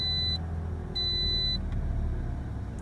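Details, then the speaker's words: 2013 Toyota Corolla, warm at operating temperature, idling before a test drive: a steady, even low hum with no stumbles; smooth idle, no misfires. "good idle to smooth no misfires feels good cars already warm"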